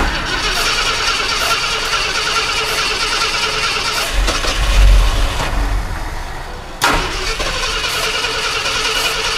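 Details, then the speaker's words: Abandoned Ford F100, V8 cranked on starter fluid with a leaking carburetor gasket: catches with a loud burst and settles into an uneven, lumpy idle; hard start after long storage. "Would you look at that? She actually runs."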